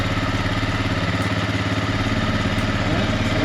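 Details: Suzuki Eiger QuadRunner four-wheeler, cold start after sitting about a month, started in neutral with foot brake held: steady, even idle pulse of about two beats a second with no knocks or misses; healthy cold idle.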